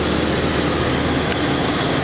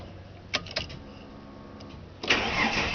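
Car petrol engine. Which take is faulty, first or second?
second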